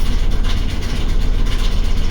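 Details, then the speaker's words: Old Ford OBS crew cab pickup pulling away on first test drive around the block: deep, loud, lumpy uneven idle pulsing, engine running rough while billowing heavy smoke from the exhaust; cause not yet pinpointed. "take out the parking break gosh that does not sound good oh it is just billowing out the back"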